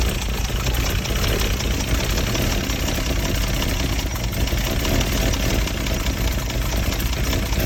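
Six-cylinder idling with a choppy, irregular shake and no steady rhythm, low thumping dominant; it's running rough at idle.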